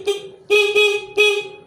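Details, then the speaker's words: Yamaha F1ZR converted from halfwave to fullwave charging (Megapro/Tiger regulator), engine off, lights switched on: three short, clear horn toots, steady bright tone, no crackle or fading. Horn working normally. "Oke kita Nyalakan kemudian kita hidupkan untuk saklar lampunya Oke ini belum nyala mesin pendek jauh pendek jauh klakson"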